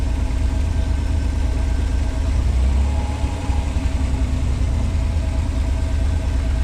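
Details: 1986 Pontiac Fiero SE V6, automatic, fully warm: steady idle at about 1,050–1,080 rpm, too high, and it hits hard going into gear; about 650–800 rpm is expected. Vacuum leak, idle control or sensor is suspected, unconfirmed.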